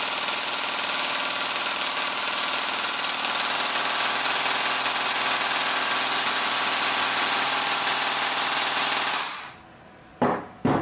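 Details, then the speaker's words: Blaster gearbox pulling a stiff M120 spring on the motor before swapping in a T238 brushless 480 motor: fast, even rattling cycle holds steady about nine seconds then cuts off cleanly without slowing; about 27 A peak, 16 A average; normal heavy-load cycling. "all right that sounds tough um we'll uh observe the the current readings I think we've got a Max of 27 there look like an average of around 16 amps"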